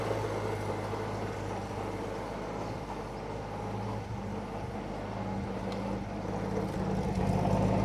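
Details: Roughly 1952 Austin 6-cylinder petrol truck with 4-speed gearbox, abandoned possibly 20+ years, restarted after cooling down; steady, even low idle hum with no knocks or misses, holding smooth throughout, a normal idle.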